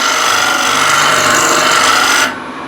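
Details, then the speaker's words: Chestnut on a wood lathe, end grain: a harsh, steady rasping scrape with a thin ringing edge and vibration. A dull scraper rubs instead of cutting, taking only a little dust under heavy pressure and nothing with a light touch. "so I'm not actually getting anything off oh here here I have something but if I just use light touch then nothing happens and I got vibration as well hope you can hear that so I'm using quite a lot of pressure to get a little bit of dust like"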